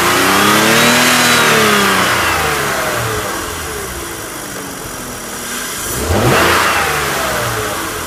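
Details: BMW about one year after VANOS repair: two clean revs rise and fall smoothly from idle with no rattle or tapping on the way down; the engine sounds healthy, no VANOS noise.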